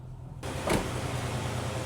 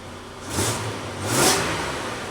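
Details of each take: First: 2003 Nissan Frontier after fixing a vacuum leak, restarted while hot: catches and settles into a low, uneven, shaking idle with faint stumbling beat; code P0304, cylinder 4 misfire, no check engine light. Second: 2003 Nissan Frontier after extensive repairs for deferred maintenance: three quick throttle blips rise and fall smoothly with no knocks, ticks or rattles; runs smoother, no vibration.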